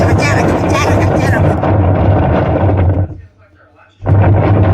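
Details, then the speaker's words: Whirlpool semi-automatic washing machine: loud, heavy, uneven banging during wash agitation from a failed gearbox, replaced with a new gearbox. "Washing machine में इस प्रकार से आवाज आने का कारण है कि गियर बॉक्स खराब हो जाना।"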